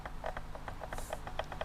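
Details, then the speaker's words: RC transmitter: quick squeaky chirps and ticks as the throttle trigger is pulled; worn trigger sticks and jiggles through its range instead of gliding smoothly. "that squeaky sound the that is the trigger not being smooth so it's it's kind of like jiggling through its range when I pull it"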